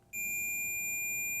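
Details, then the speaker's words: Yamabishi SF-PW CNC switch-mode power supply (FREQROL-SF spindle drive) repair: a click then a steady high-pitched continuity-tester beep, confirming the base lead connects to the cathode of the UPC1093 programmable voltage reference, next suspect part. "So, by putting our continuity checker on the base lead, I found that it runs right over"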